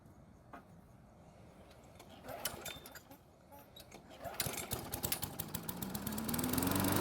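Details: Poulan mower, long kept outside, after oiling and refitting the air filter and priming, on a longer test run: small single-cylinder catches after a few coughs and climbs to a steady, even run with no knocking; runs normally.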